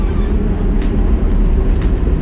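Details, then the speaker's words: 1982 Datsun 720 King Cab 4x4 pickup, 5-speed, on new BF Goodrich Mud-Terrain tires (about 30 inches) at road speed on a bumpy test road: low continuous growl or whine from the tread under the cab, normal tire noise, not a fault. "you can hear the tires those mud terrains they have a little bit of a growl or a wine on the road"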